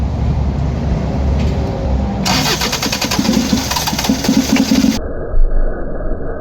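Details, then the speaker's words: Diesel starter spins engine in bursts but it never fires; no fuel comes out to the injectors after everything tried, injection pump failed and to be removed for repair. "y guys injection pump yan sira Papalitan natin papagawa Walang lumalabas dito lahat ginawa na wala talagan"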